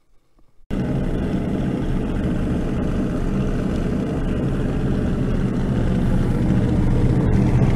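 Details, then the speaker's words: IH UD-16 diesel power unit on a 1945 Chevy truck (Adams grader motor), long-idle engine: starter drags it over slowly with low churn, no fire despite fuel pressure and fuel at injectors; likely cranking too slow, cylinders dry. "I know I have fuel pressure I know I got fuel at the injectors but I had no white smoke or anything coming out of here cuz I think we're cranking over too slow plus everything is dry"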